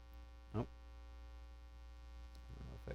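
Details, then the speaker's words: Live-stream audio with a constant, unchanging low electrical hum and faint buzz. It is likely mains hum; the host suspects a ground loop or cable shielding issue from his plugged-in cables. Unconfirmed. "something is yeah something is super unhappy about how i've got things plugged in sorry about that i've got some kind of ground loop maybe i hear it"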